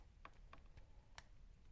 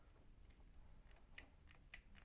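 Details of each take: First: Triumph TR8 steering lock and ignition barrel, stiff and sticky, being loosened with graphite powder: light uneven clicks as key worked back and forth; lock pin pops out faster than before but still delayed. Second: Triumph TR8 ignition barrel and steering lock, stiff and sticky before, bench-tested after strip-down and tidy-up, removed from the steering column with the switch intact: a few light, crisp metallic clicks as the key turns, no grinding or catching; the lock operates smoothly.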